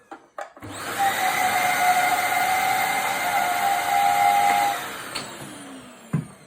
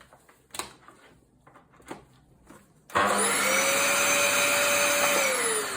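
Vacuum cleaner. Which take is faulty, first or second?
first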